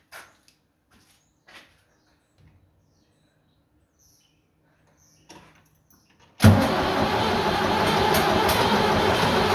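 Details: Vintage "77" diesel tractor that had no start from an empty tank. After refuelling, quiet handling noises, then it catches instantly and settles into a steady, even diesel idle.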